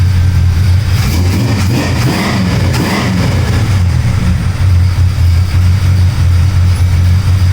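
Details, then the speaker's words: Pontiac with a 350 Olds V8, warmed 10-15 minutes at 160°: smooth even idle, clean revs settling back, no knock, slight valvetrain noise at higher rpm. Normal running. "And the motor is quiet. You can't hear a beat out of this motor. You hear the valve train a little bit at like a higher RPM, but you know what? This thing is quiet. It's running awesome."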